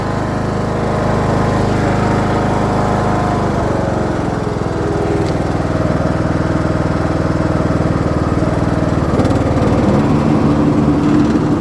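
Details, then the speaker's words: Craftsman LT2000 riding mower, free, sat for a few years, after repair: small single engine holding an even, steady speed, brief drop as the blades engage then quick recovery; nice and quiet, running healthy with blades engaged. "Nice and quiet, it sounds like. free lawnmower. See if we can't cut some grass."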